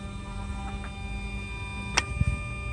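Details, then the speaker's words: Mercedes S600 on ignition, engine not started, after repairing shorted throttle wires, servicing throttle motors and repairing the Egas module: quiet steady electric hum with a few soft clicks as the throttles run their learning process; normal. "for that we just put on the ignition I never started this car yet so obviously first thing is the humming noise"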